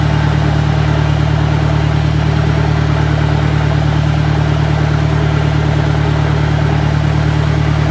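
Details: 1965 John Deere 1010 with suspect maintenance, Stanley muffler, about 1000 rpm in first gear: a steady, even drone with a constant low hum; the gearbox sounds noisy and worn compared with the 1963, cause unconfirmed.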